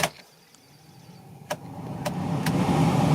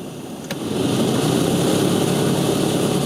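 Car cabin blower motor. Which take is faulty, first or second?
second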